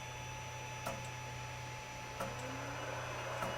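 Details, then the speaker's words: 3D printer with all-metal hot end: sharp clicks about every 1.5 seconds from the extruder motor over a steady hum, as the extruder skips because filament can't be pushed through the nozzle fast enough. "that clicking sound i've kind of gotten used to it at this point because for me there's just almost no way around it i have to go so slow that that it's just annoying um so what that indicates though is that there's a problem getting that filament through the nozzle fast enough"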